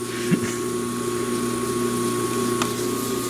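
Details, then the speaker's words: 1940s Peerless 1/2 HP electric motor, after an oil soak, old capacitor still fitted: motor spins up to a clean steady hum with an even whine and no grinding or rattle; a healthy start. "I want to capture that startup sound real good here. Oh, that sounds so nice."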